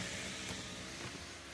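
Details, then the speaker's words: 2013 Dodge Avenger bought at auction, engine off with no oil, key-on check of accessories: short, smooth whir of the window motor at an even pitch, no grinding or straining; normal power window operation. "Power mirror. Power lock. All those seem to work. You got the other window."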